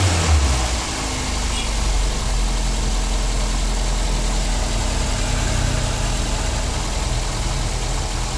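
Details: 2009 Daihatsu Gran Max after fitting a new idler pulley assembly to fix a humming noise: even, steady idle hum with no whine, squeal or rattle from the belt side, a normal idle.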